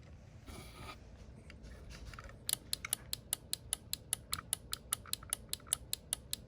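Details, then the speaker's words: Turn signal flasher after rewiring of gauges and wiring fed from the BCM, right signal switched on; crisp, even ticking at about two and a half clicks per second in a quiet room; normal flasher operation. "So with that being said, see my signals right there is on. So signal on. Alright. Right signal on."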